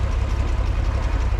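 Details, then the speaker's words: Farmall 460 tractor after planting oats: deep, steady, even idle with no misses or knocks. The owner says it throws a fit when given throttle under load and plans to adjust the carburetor; hydraulic fluid is also leaking. Normal idle. "sounds good idling there. As soon as you give it more throttle to, you know, do work and have it under load, it just kind of throws a fit."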